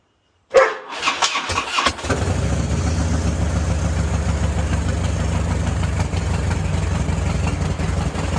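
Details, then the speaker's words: 2000–2007 Harley-Davidson Touring V-twin after fuel pump assembly replacement and fixing a minor complication, fuel system primed: starter whirs briefly, engine catches and settles into steady, even low idle with no misses; starts and idles normally. "Alright, so it started right up. So that's it. Ran into a little minor complication,"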